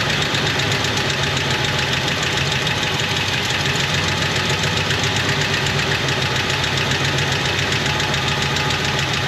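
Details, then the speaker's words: 1977 Jeep Wagoneer, AMC 360 V8, automatic, Edelbrock 1409 600 CFM marine carburetor, first start after work: loud, steady, even idle with lumpy low rumble, no stumbling or misfire; running smoothly. "what if I start it up and it just idles perfectly that' be a miracle no Miracle do happen I don't can't honestly believe so happy right now"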